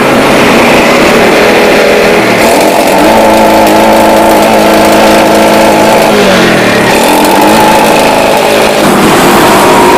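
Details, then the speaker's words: Yamaha Jupiter Z motorcycle with a new spark plug and a repeatedly opened carburetor: idle is normal, but revved to mid rpm the note turns uneven and stuttery. It misfires from mid to high rpm with exhaust popping and lacks power. "Oke, di RPM ini di tengah ya. Ini mulai ada berbetnya."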